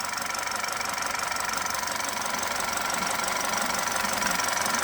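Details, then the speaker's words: High-mileage ex-police BMW G31 5 Series Touring with the accessory belt removed, so no alternator or water pump, running off the battery: even running with a light, regular valvetrain tick and no whine, far quieter; the alternator or water pump is suspected of the earlier whining. "So now the car is running off the battery and it's way quieter than what it was before."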